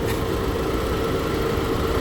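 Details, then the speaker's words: 2023 BMW X1, 2-liter four-cylinder idling with hood open: steady idle with a thin constant mid tone on top, something moving in the engine bay; unusual noise, cause not identified. "Is that normal for the engine? There's something moving down there."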